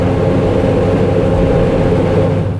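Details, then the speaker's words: 2004 Ford Explorer Eddie Bauer Edition while driving: steady droning hum with a low rumble under the road noise, seeming to come from the left rear and worsening in right-hand turns; suspected worn rear wheel bearing. "however it has a noise and that noise sounds suspiciously like a wheel bearing"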